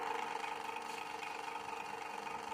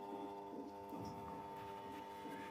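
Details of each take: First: Usha fan motor after a rotor repair; before the fix it made noise and would not rotate. With the rotor refitted tight on the shaft, it gives a quiet, even, mid-pitched hum with no knocks or scraping and spins smoothly. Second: Usha ceiling fan motor powered on: steady electrical hum, but it won't rotate even when spun by hand; the rotor is loose on its shaft.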